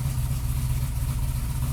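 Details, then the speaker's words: 1998 GMC Sierra work truck, 13,341 miles, first start after restoration with a short muffler: deep, steady low rumble at idle with slight lumpy chop but even firing and nothing odd; quiet, healthy normal idle. "Dude, this thing's going to have some chop. It's really quiet."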